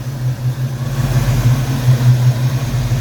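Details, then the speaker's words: Ford Fox-body Mustang after distributor swap, timing reset to about 14 degrees advance with pickup removed: steady, even idle with no miss or stumble; running pretty good, old distributor was bad; only EGR valve code suspected. "she's running pretty good that other distributor is bad it's going in the garbage"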